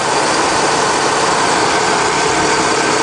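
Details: Chevy Cheyenne 3500 HD boom truck, 454 (7.4 L) V8, 146,000 miles, new battery: smooth steady idle, even exhaust note, no ticks, knocks or misses; healthy quiet idle.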